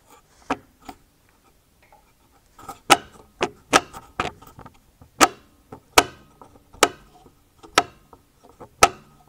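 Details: Sharp, hollow irregular knocks about once a second from a loose sway bar drop link, picked up by a piezoelectric contact microphone viewed on a scope to locate suspension knocking noises.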